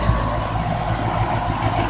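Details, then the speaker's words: 2012 condenser with open scroll compressor, same compressor as older loud Goodman units: steady, even low hum with smooth fan whoosh, no rattles or knocks, much quieter than the older unit; normal running. "So this is much quieter."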